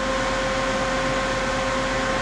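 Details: 1978 Corvette, cooling fans running after a melted main-power connector at the fan relay was pushed back on as a temporary fix (new harness needed): constant airy whoosh with faint steady motor tone, no surging, grinding or rattles; normal running.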